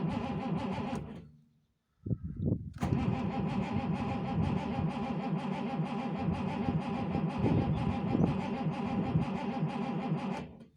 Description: Second day after that I got her home she would not start. Cause the petrol pump didn't feed petrol.